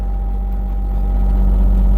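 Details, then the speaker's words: John Deere 27D mini excavator diesel, 1,267 hours, started immediately without glow plugs: deep even rumble with no knocks or misses, slight rise in revs; normal healthy diesel idle. "Um, and I noticed to start it up right away. Um, even without any glow plugs, starts right away."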